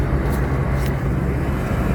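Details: York rooftop unit with a no-heat complaint, after reseating thermostat connections: the blower kicks on with a steady low hum and constant drone, no knocks, rattles or surging, while ignition is checked; normal running.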